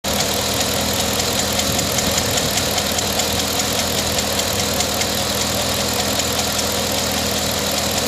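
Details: 2009 Pontiac G8 GT V8 at idle with light, quick, steady ticking; owner suspects the notorious G8 lifter tick, unconfirmed.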